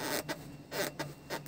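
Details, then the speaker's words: Toyota Land Cruiser 200 left rear seat, pushed fully back: short rubbing creaks over a faint low hum as the seat leather scrapes against a metal bracket. "А скрипит она потому, что у нас, сейчас я фонарик включу, вот здесь вот кожа, вот это вот место скрипит об вот эту железку, зараза."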